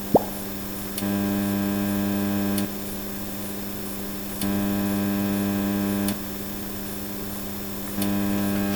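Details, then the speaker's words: Onkyo TX-SR806 AV receiver on the bench: steady low hum with a buzzy edge, reduced but not gone when muted or switching inputs; noise originates both after the volume control and before it, amplified by volume. Mains hum. "So it looks like there is a baseline noise coming from after the volume control. But there also is some noise coming from before the volume control which gets amplified by the volume control itself."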